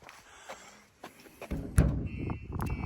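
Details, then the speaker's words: Starline S9 alarm on Citroen Relay van, rear barn doors struck: a light knock, then a short run of high electronic chirps as the shock sensor gives its pre-warning, with zone alerts sent to the owner's phone; normal shock sensor warning. "So any attempt on this, you can hear it going off. The customer is getting alerts, he's getting warnings on his phone."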